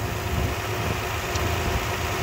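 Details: 2008-2010 Toyota Highlander Hybrid, 3MZ-FE V6 petrol with timing belt: smooth steady low hum at idle with no ticking, normal running engine.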